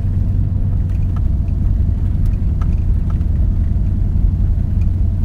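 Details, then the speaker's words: Nissan Titan cruising after rear catalytic converters deleted and front passenger cat self-gutted, previously clogged: deep, steady, smooth exhaust drone with no knocks; louder than before but running cleanly. "It actually sounds good. It's louder. It's quite a bit louder."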